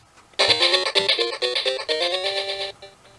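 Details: Recapped Sega Game Gear with power supply unplugged, on batteries; plucky game tune plays clearly through speaker, no buzz or hum; buzzing only on mains charger, fault in power board not sound board.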